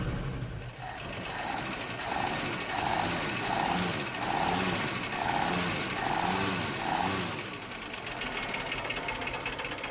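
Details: 1976 postal Jeep revived after sitting parked in the woods for years: engine fires right up and idles with a tapping knock, roughly ninety a minute, rising and falling in waves, valve train audible, little smoke, no oil pressure on gauge; owner suspicious of oil, cause unconfirmed.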